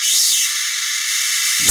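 A loud, steady, high-pitched hiss with no low hum behind it while energized, most likely corona or arcing on the high-voltage side.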